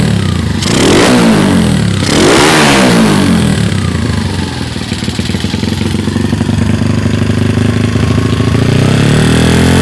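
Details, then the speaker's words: Karisma 150 (Wave 125 head) just fitted with BoyRenk type-A camshaft, PWK 28 carburetor; revs rise and drop with a rattly, slightly uneven low-rev beat, owner suspects carburetor setting not yet right, will re-tune. "Oke seperti itu kurang lebih suaranya slur ini nanti mau di-setting lagi mungkin ada kurang di settingan karbunya ini kurang kurang pas"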